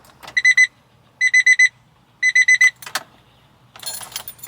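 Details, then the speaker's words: Kei mini truck after cleaning corroded carburetor solenoid connections while chasing a hard, rough start: three bursts of four quick high beeps, key-in-ignition reminder chime relay sounding for the first time since owned, intermittent power to the relay. "super weird development um relay that lets you know your key still in the ignition that is the first time that's ever let me know"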